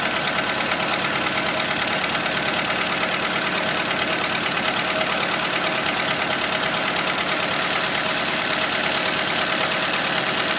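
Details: Skoda Fabia 2 with a 1.4 engine at idle after the camshaft cover with camshafts was replaced: a regular, light knock about three times a second rides over the engine; the cause is still unknown.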